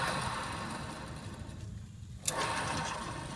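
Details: 2003 Chevrolet Suburban front wheel bearing, rotor and brake removed, bare hub turned by hand: quiet gritty rumbling growl of a bad bearing before replacement.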